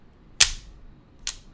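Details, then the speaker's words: Circuit breaker being switched on: one sharp snap, then a second click under a second later as it trips straight back, which usually means a short in the circuit. "and then it goes right back. So usually that's what it means is usually you have a short in the circuit, okay?"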